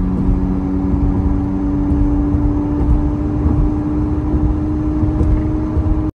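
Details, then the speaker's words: Lexus IS 250 driving on a rainy road: steady droning hum over road rumble that changes with speed and when weaving side to side, from a badly worn wheel bearing needing replacement. "we're also checking our wheel bearing you guys to hear it if you can hear it on video you know it's pretty bad so you can hear a change with the speed of the car and it definitely changes when you shift planes side to side"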